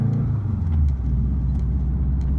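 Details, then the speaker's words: Built 2.5 L block hybrid swap with bigger cams and turbo, just past its 1000-mile break-in. Deep, steady idle with an even low rumble and no ticks or misses, set to 1100 rpm with about 20 psi oil pressure: a smooth, healthy fresh engine. "Right now it's idling at about 20 PSI. My idle is set to 1100 RPMs."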